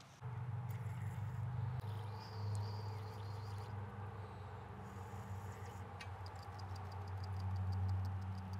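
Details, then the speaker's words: Subaru FA20 PCV valve shaken after a shot of brake parts cleaner top and bottom: a crisp, loose, louder clicking rattle over a low hum. The valve is freer and less gummed up than when removed. "and as you can hear with a quick shot of brake parts cleaner in the top and the bottom this valve is a lot more freer and clicking or rattling a lot louder it's less gummed up than it was when we took it off"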